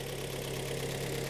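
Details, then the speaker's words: 2013 car, about 140,000 km, cold engine idling before overhaul: dull steady knocking under the engine hum, piston slap heard from cylinders four and three. "вот сейчас по успокаивается и уже слышно перекладку вот четвёртый слышно долбит четвёртый третий"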